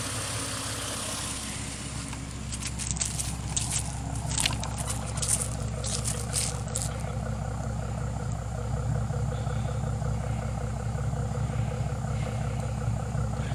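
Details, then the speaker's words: 2005 Ford Mustang just after engine rebuild and timing, fuel drained and new fuel filter, first start after sitting 3 years: steady, even low rumble once revs settle, no knocks or misses, no dash warning lights; normal idle. "I got no lights on the dash. Hell yeah, guys. It's smooth. Really smooth."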